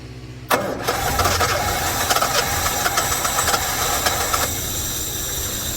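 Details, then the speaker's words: 1976 Jaguar XJ6 Series 2, sitting 10 years, first start on starter ether in the carbs after a compression test of about 125/123. It cranks, catches quickly and settles into a quiet, even idle; the fuel system still needs work. "all right look at that she sound so quiet too okay so all we got to do is get the fuel system going now"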